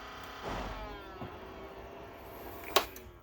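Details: Optoma HD26 DLP projector just after power-up: the colour wheel whines and chirps because its speed isn't regulated; heat had loosened and curled the foam under the wheel, which cut into the colour wheel.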